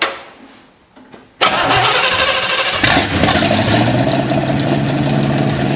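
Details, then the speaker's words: 1955 Chevy stored 20 years in a shed, revival start with float bowls topped with brake cleaner to pump out old fuel: short crank, then it catches at once and runs with a steady, even beat. "top the float bowls off with some brake clean just to give us something to run on here see if we can pump anything out of it"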